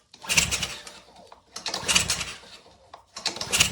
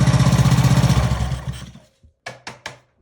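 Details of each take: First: Ryobi pressure washer engine, fresh fuel, kill switch and fuel on, choke pulled: four rasping recoil pulls about a second each, never catching or firing; no compression, later traced to a seized valve. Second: Old Ryobi pressure washer, previously seized, freed by tapping with a hammer, reassembled and started on choke: small engine catches and chugs at a steady, even four beats a second, then winds down with a few knocks; it starts and runs cleanly.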